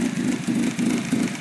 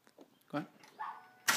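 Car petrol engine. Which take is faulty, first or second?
first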